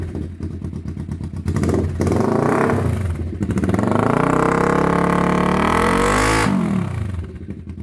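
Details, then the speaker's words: 1991 Kawasaki EN500 twin after fitting replacement pickup coils, plus new ignition coils and oil: revs up cleanly and drops to a steady idle with no stumble or popping; normal running. "And now you can hear uh we've got that sorted. So that's phenomenal."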